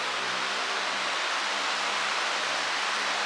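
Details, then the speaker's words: iLiving fan, apparently the 20-inch one, at full blast after spray-paint balancing; owner says it is still a little shaky. Steady rush of air with a faint low hum underneath and no audible wobble or thumping. "because that's just it's just a little shaky [Applause] that's full blast"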